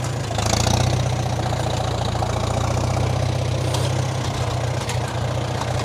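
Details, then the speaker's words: 1947 Farmall M tractor, first start after winter on almost year-old regular oxygenated pump gas: low idle that wobbles and stumbles unevenly; rough running from water-contaminated old fuel. "it had been sitting all winter and it was regular pump gas it wasn't non-oxy so that's my own fault i left it in there all winter as you can heal as you can hear it's still running quite rough"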